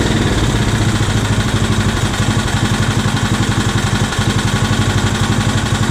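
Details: Scag hydrostatic walk-behind mower running just off idle on a newly installed carburetor and ignition coil: steady single-cylinder putter at about four beats a second, even and holding speed with no misses or knocks; normal running.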